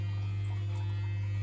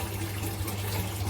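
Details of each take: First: Eheim Quick Vac Pro gravel cleaner, modified and run from a 12 V 45 Ah battery: loud steady low hum with a faint fast ripple; the motor is energized but not sucking or pumping any water. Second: Eheim Quick Vac Pro gravel cleaner modified for stronger suction in a 600 L gravel-free tank: steady low motor hum with water rushing and gurgling evenly. It is running after the mod and pulling strongly.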